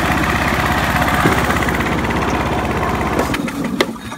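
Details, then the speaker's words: John Deere LX172 riding mower after fitting a new PTO switch and fuse, choke on: small single chugs then bogs and stalls within seconds as the PTO blades engage; engine stalls under load. "I stalled it idiot give it some choke again"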